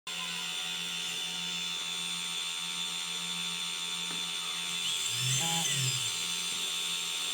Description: Eachine tyro 109 Bad bearing noise